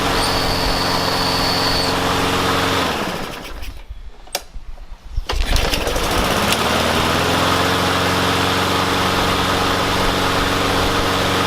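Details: Yard Machines mower with a Briggs & Stratton engine that wouldn't start, fixed with carb cleaner and a wire-brushed spark plug. It runs steady and even, dips briefly mid-clip, then picks straight back up to a smooth, healthy run.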